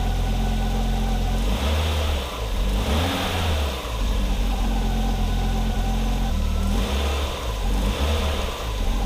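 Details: 1987 Audi 5000 CS Quattro turbo after the CIS fuel injector replacement revs up and returns to a steady idle several times, clean and even with no stumble or miss; much smoother, with the injectors seemingly firing evenly.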